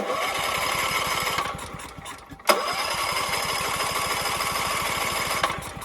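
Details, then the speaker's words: Mitsubishi MGE 4000 generator that sat a few years, running on choke with auto idle off: ragged uneven firing that dips, catches briefly, then fades and dies; the carburetor is to be cleaned and fresh gasoline added. "Turn the choke. And even that, it still doesn't run well. I'll put auto idle off. Sputters out."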